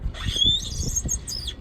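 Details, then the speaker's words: A newly mounted wheel is spun by hand. It makes a rhythmic swish about five times a second with a light scraping squeak, a slight rub. Spacers are planned to cure it; the cause is not confirmed. "And if you're listening, it sounds like that one rubs slightly."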